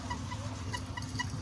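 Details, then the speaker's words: Toofan ceiling fan before repair: a sharp, squawky chirp repeats about four times a second over a low motor hum as the fan turns; the squeak was gone after the fan was refitted. "यहां पर देखिए यह जो ceiling fan है इससे हमारा sound निकाल रहा है जैसे"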